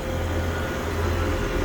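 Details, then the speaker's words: 3-phase HVAC condenser with a newly replaced compressor: after swapping two legs to cure the loud reversed-rotation noise, a steady even low hum with no knock or rattle; normal operation. "Ah, and now it sounds better."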